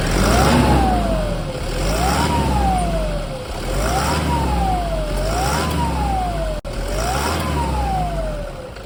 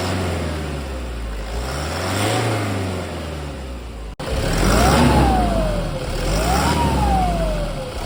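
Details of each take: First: 2010 Toyota Hilux KUN26R, 1KD diesel: high whistle rising and falling with each rev, roughly every two seconds, from a broken turbocharger, before replacement with a new turbo. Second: 2010 Toyota Hilux KUN26R with 1KD diesel at 291,000, with a newly replaced turbo: idles, then revs up and settles twice; the turbo whistle rises and falls cleanly with no grinding or howl. Normal engine revving.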